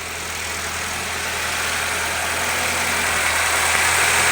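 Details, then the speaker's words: 2014 Nissan Altima after fixing rough idle and stalling with codes P0011/P0014, caused by a stuck cam-phaser control valve pintle. Steady, even idle with no miss or knock and the check-engine light gone; runs smoothly. "ah it's running so nice and smooth now check engine is gone you guys can see it it's running nice and smooth"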